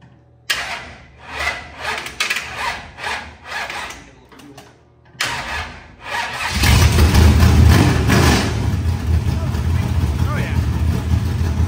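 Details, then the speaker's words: Rebuilt 25-year-old SBC 400 race engine, cold, no coolant: cranks, catches, then settles into a loud steady fast idle, higher than intended; still needs dyno tuning. "oh it's a little higher than I wanted to but I mean honestly bro it sounds good though"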